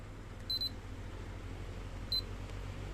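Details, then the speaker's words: Miyako 18-inch remote-control fan after servicing the remote control module (about 4.3 V measured at the capacitor): quiet hum, then quick beeps as speeds 1 to 3 are stepped through. The control board responds normally. "Nah itu hidup sped sat sped"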